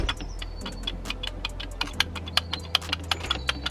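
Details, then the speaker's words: Cheap Porsche Cayenne, throttle body removed from the car and dirty. Uneven light scraping clicks, one or two a second, heard from the throttle body with nothing else running; rubbing noise believed caused by dirt, expected to be fixed by cleaning. "that's our rubbing noise we're getting. So a good clean up should fix that."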